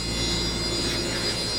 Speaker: grabbed a random hard drive off the shelf and listen to this thing. I mean, supposedly it tests just fine, but holy crap, man